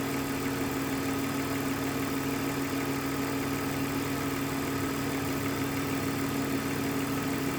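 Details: 2001 BMW 325Ci with the M54B25 engine at steady idle: a constant mid-pitched hum with a busy ticking layer over it, noisier than expected; the owner asks if this is normal, cause unclear.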